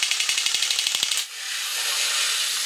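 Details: Quick light gear ticking, then a steady high thin whir from a 1983 Horikawa Cosmic Fighter tin robot. It had squealed and run slow before the motor was lubed and wires caught in the gears were rerouted; the motor now runs smoothly.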